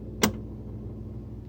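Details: Whirlpool WSF26C3EXF01 refrigerator: a sharp pop from the top of the fridge about every 12 seconds over a quiet hum, whether the compressor is on or off. Caused by a failing damper control diffuser between freezer and fridge; fixed by replacing it.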